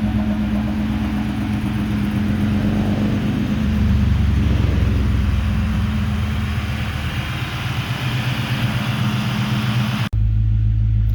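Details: 1996 Mustang GT with a rebuilt Cobra engine under 1500 miles old (forged rotating assembly, aluminum block, Cobra B heads and cams, tuned): throaty V8 idle with clean rises and falls in revs, smooth and even; healthy.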